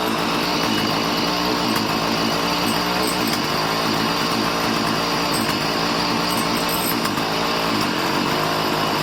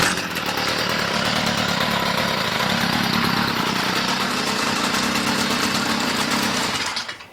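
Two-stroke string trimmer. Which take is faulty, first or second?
second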